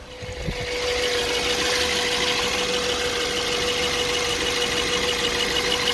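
Smooth idle with a light tapping running through it at roughly three per second, irregular and coming and going; an intermittent knock.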